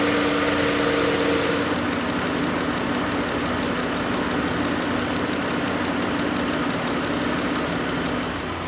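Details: 2012 Chrysler Town & Country, sat years in a field, after new AC compressor, main belt, transmission shift solenoid pack, fluid and filter: steady even idle, faint hum, no knocks, misses or belt squeal; healthy.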